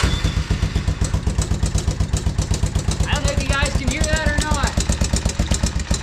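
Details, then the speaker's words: 1987 Honda Foreman TRX 350 ATV just serviced with oil change and cleaned carb, at idle: loud, sharp, steady knock about four times a second; suspected piston slap or badly out-of-adjustment valves, valve check planned first. "That is either some horrendous piston slap, which is not a good thing, or the valves are severely out of adjustment, which not a major thing."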